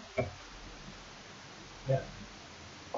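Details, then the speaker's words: Lancia Delta Integrale Evo2 during an ECU actuator test, idle air valve cycled: three soft separate clicks in a quiet room, so the valve moves and is not seized. "It shows us it's not seized"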